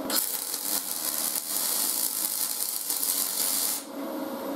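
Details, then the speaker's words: Aluminum MIG welding, building up dirt bike foot pegs, power reduced to the sweet spot: smooth, steady high hiss rather than typical MIG frying-bacon crackle, the sound of a correctly set aluminum weld. "you can actually hear it when you weld an aluminum guys you don't want it to sound like your typical mig it almost makes like a hissing sound like a ch"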